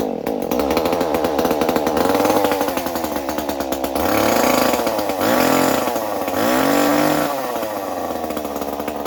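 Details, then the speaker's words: Stihl 019 top-handle chainsaw that sat in a barn for years, after a carb rebuild, cleaning and choke repair: a crisp two-stroke buzz that revs up and settles back cleanly with no bogging; normal running, though it has no spark arrestor. "right, cool. That sounds good. Runs great. Does not have a spark arrestor, which is not good."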